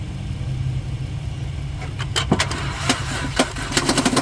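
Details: 2012 Honda Odyssey that won't start: starter cranks with a steady churn, then a few uneven sputters and pops, but the engine never catches. Crank, no start.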